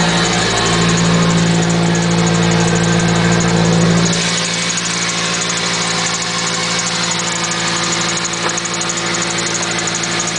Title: Squeek Chirp Noise @ idle